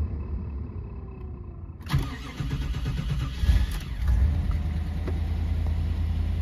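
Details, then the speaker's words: 1993 Cadillac Fleetwood Brougham, 5.7 L 350 throttle-body-injected V8, on a very cold day: short crank, then it catches at once and settles into a smooth, deep, even idle. A healthy cold start. "and it is really cold believe me she starts really good"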